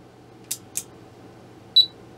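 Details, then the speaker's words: HP 34401A 6.5-digit multimeter under repair, powered up from the supply: two dry switch clicks, then one short high beep in a quiet room; the meter comes alive with a working display after repairs. "oh and we got a beep from the buzzer let's take a look at the display we've got life"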